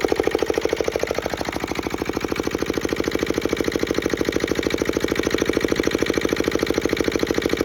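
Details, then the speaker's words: Petter AA1 single-cylinder diesel water pump, started cold after sitting a week: steady, even thump at about 113 beats a minute with a light injector-pump tick; healthy, settled idle. "we you can hear that clinking and that's injector pump working so I have no doubt that this thing will either start first or second pull"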